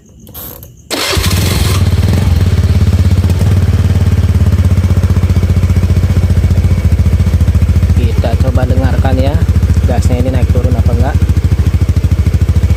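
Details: Honda Beat FI scooter with unstable, hunting idle, after new spark plug and manual ECU reset: settles to an even steady idle around 200 pulses a minute; still hesitant on sudden throttle.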